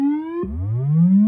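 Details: Fender Blues Deluxe reissue 40 W combo during maintenance, run on a current-limiting bulb with only a faint orange glow, fed a square/triangle test wave: clean sweeping tone with full lows and no buzz, crackle or dropouts. Tone controls and reverb working.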